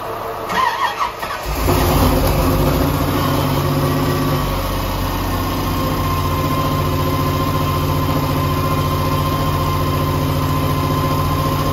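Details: 1984 Camaro Z28, 355 small-block with Weiand 144 supercharger, sat over a year: brief starter churn, then it catches into a slightly uneven, lumpy idle while leftover oil from the oil change smokes. Rough idle.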